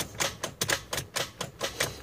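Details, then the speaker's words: Jeep XJ starter after water exposure, trans dust cover left off: key held, sharp click repeating three to four times a second with no cranking; starter failing again, solenoid suspected. "Starter's roached again. What I want to do is see if I can pull that starter off of there. It's usually the solenoid that's causing it to do that, but it's from all that water the other night."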